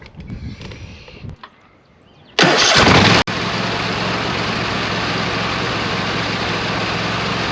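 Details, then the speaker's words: 26 HP Kohler V-twin mower engine that had been misfiring and running on one cylinder, after fitting two new ignition coils: catches after a short crank and settles into a steady, even idle with no misses; normal idle. "okay sounds good it's time to put the cover back on the engine and uh see how she mows"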